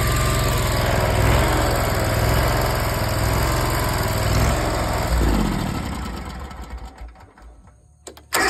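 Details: Zero-turn mower after a new air filter, rebuilt carburetor and new spark plugs (the old ones were fouled with almost no gap). It catches and runs smooth and even for about five seconds, then shuts down cleanly; running normally.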